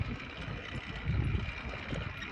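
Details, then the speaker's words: Motorcycle that stalled after idling about 30 minutes to warm up, now won't run properly: uneven low thumps and pops, worse with speed, no response to throttle; owner suspects piston or cylinder problem, unconfirmed. "oh now it just made like a popping noise"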